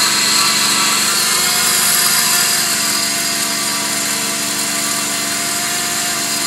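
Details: 2005 Subaru Outback VDC wagon, 3.0 H6, 80k miles: at idle, a loud steady high-pitched grinding whir from a failing idler pulley bearing, which first sounded like belt squeak; silent after replacement.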